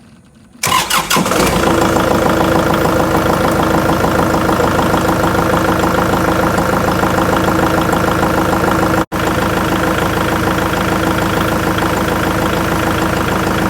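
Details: Kubota tractor diesel after ignition switch replacement: short crank, catches within a second, steady even idle with a regular beat, no longer cutting off. Fixes months of the dash blanking out on cranking.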